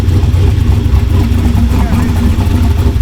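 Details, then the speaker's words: Bonemaro, the Hot Rod Garage street/strip car with a fully built turbo V8, just fired up, great oil pressure: deep, loud, steady V8 rumble with even firing beat and no knocks or ticks; healthy engine. "I'm stoked. It fired up. It sounds awesome. It's got great oil pressure."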